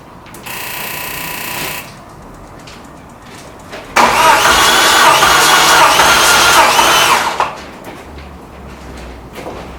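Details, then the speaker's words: Ford Escort RS Cosworth after-race health check, compression test with all plugs out on cylinder one: starter turns the engine slowly, about four laboured compression beats a second, from a flat battery, yet still about 130 psi, not a mechanical fault. "so I've actually just done number one as you could probably hear the battery's gone flat but even with how slow that was turning was still 130 odd PSI compression"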